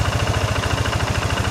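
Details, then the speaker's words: Worn high-mileage Yamaha NMAX fuel-injected scooter with ISC sensor idling after the ISC hose fix, about a minute after start: steady idle with rapid even pulse and rough clattery mechanical rattle; tired long-distance engine, some engine parts need replacing. "Ini motor suaranya agak berisik teman-teman, karena ini motor ya memang dibilang motor capek, motor perjalanan jauh, jadi suara mesin nggak bisa halus banget."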